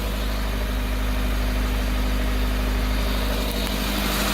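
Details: Honda Civic EF sedan, $500 turbo challenge car, running after the unmounted main relay that stopped the fuel pump was fixed: steady, even idle with a constant low drone, no stumbling, ticking or knocking; healthy.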